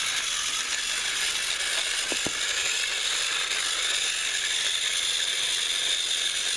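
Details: Repaired TrackMaster Salty toy engine, once seized and only buzzing weakly, final test on a track pulling slide-door vans: steady high gear whir with a fine ratcheting buzz. The motor runs evenly and the engine moves.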